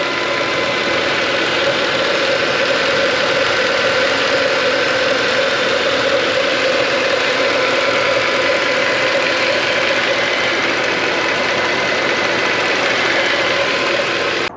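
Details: Mercedes ML63 AMG 6.2L M156 V8, early version, about 10,000 miles after DIY head bolt job, heard in engine bay: smooth even idle, steady mid-pitched drone, no knocks or ticks; healthy.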